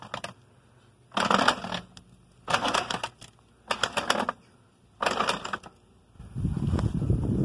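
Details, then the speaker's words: Ford 309 planter with full corn hoppers, drive wheel spun: quick bursts of crisp, even clicking on each spin with quiet between, so the seed meters are feeding corn normally. "All right, hoppers are full. Let's spin it, see if she's going to put out corn like she's supposed to. Oh, there it comes."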